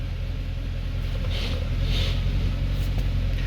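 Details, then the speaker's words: 2008 Mercedes S63 with 64,000 km, hot at idle after topping up low hydraulic pump fluid (leaking from suspension): smooth even low rumble, the earlier pump complaint noise now gone. "okay done let's heat it now now it's supposed to be fine"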